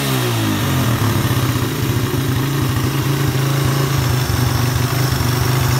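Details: Suzuki Satria FU 150 with hard starting and refusing to rev, carburettor not at fault, after adding a direct engine ground wire: engine catches, settles, revs cleanly and holds an even note without stumbling; normal revving.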